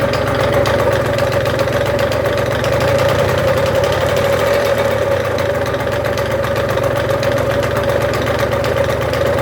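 Loud, steady idle with a fine, fast rattle buzzing through the engine note and no clear change; a rattle of unknown origin.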